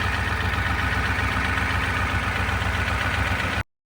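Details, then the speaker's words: 1988 Ford 7.3 IDI diesel after turbo rebuild and install: started with some persuasion, no starting fluid; even, steady diesel clatter at idle with regular firing beat, no knocks or misses, slightly smoky; sounds good. "Took a little persuasion, but it started. No starting fluid, it just went. Oh, it sounds good. A little smoky."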